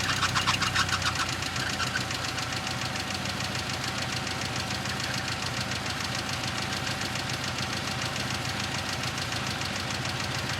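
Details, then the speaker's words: 1990 Ford Festiva, sat about six years, fuel pump just replaced: quick even top-end ticking, about three ticks per second, over a raspy idle with a loud exhaust. Sticking lifter suspected; recorded before a DMSO engine oil flush. "I'm going to start this for you so you can hear what the lifters sound like and that way we can see if um the engine flush helps out at all"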